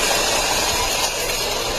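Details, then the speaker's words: 2009 Saturn Vue petrol engine at idle: harsh, busy metallic rattle over a thin hissy running sound; cause unknown. "all right I got a 200 2009 Saturn view in today and it's making some God awful noises"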